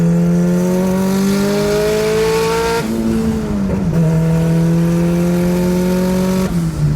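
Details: Nissan Sentra with SR20VET swap, new traction bars, accelerating: engine pitch climbs smoothly through each gear with clean shifts, no surging or hunting; boost holds a steady 9 psi, no longer dropping from 9 to 6.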